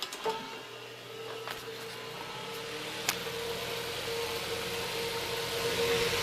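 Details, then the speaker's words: Mid-1950s Bersted "Zero" 1250R electric fan after restoration, running under load with the blade refitted: quiet, even motor hum with a faint tone and light ticks, no rubbing or rattle, noise gone, moving little air. Normal running. "It moves surprisingly little air. I guess that's not a surprise. But it runs. And there's no more noise, really."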